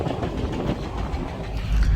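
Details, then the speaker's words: Dodge Charger SRT Hellcat at the dealership: deep rumble with a repeating heavy knock over the idle. Owner calls it his engine done, but the dealer suggests the noise may not come from the engine; source unconfirmed. "That's the sound of my engine done. But yeah. Let's see what happens, man."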